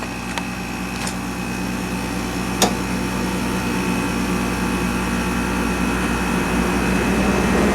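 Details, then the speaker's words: Westpointe MWDUK-05CMN1-BCK0 5,000 BTU window air conditioner (rotary compressor, R-410a), just after compressor start and not cold yet: a steady, even hum with a couple of light clicks early on and no funny sounds. It is running normally. "it seems perfectly content. You hear the charge going through there. No funny sounds. I mean, it's ready to cool."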